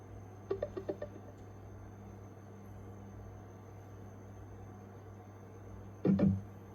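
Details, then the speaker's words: Emberton speaker playing an 80 Hz test tone: rough, buzzy, clearly distorted sound from a faulty front driver. The rear driver is fine. "เสียงแตกค่อนข้างชัดเจนเลยนะครับอันนี้เดี๋ยวเรามางัดตะแกงหน้าขึ้นดูกันครับว่าตรงไหนมีปัญหานะครับ"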